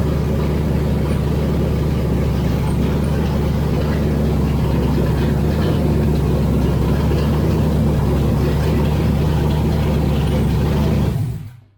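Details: Freshly rebuilt engine, first start-up: forged pistons and rods, .240 tool-steel wrist pins, 10.3:1 compression, 3/8 pushrods, Isky 2076-HYRT lifters at .035 preload, Athena copper head gaskets, ARP2000 head studs; 45 psi oil at cranking. Loud, steady, even run with deep exhaust note, no knocks; runs well.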